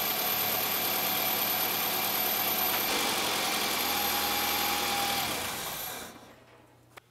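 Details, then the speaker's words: 2001 Toyota Highlander 2.4 L idling after valve cover gasket replacement for an oil leak; valve cover checked dry, no leaks: steady even idle with no ticking or knocking, then shut off. Normal. "guys as you guys can hear the engine is running so we're gonna look around the valve cover to see if we have any leaks"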